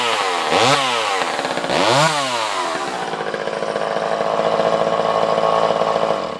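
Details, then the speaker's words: Vintage Craftsman 2.1A two-stroke chainsaw, no broken cases, damage or repairs: two quick throttle blips, then a steady high buzz with no stumbling or misfire. Normal running. "This is a vintage Craftsman chainsaw. It starts and runs great, has no issues."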